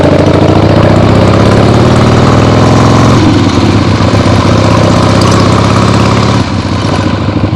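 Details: Freshly rebuilt 1975 Harley-Davidson XLH Ironhead Sportster V-twin on short test ride around the block; loud deep even exhaust beat through open pipes, pulling cleanly, no knocks or misfires; carb farts probably adjusted out once warm; normal running.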